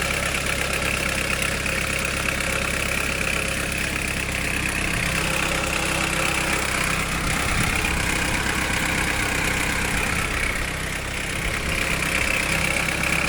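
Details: 1991 Nissan Primera P10 GA16DS carbureted 1.6 after botched carb repair: constant metallic clatter and uneven ticking at idle; owner suspects timing chain, unconfirmed.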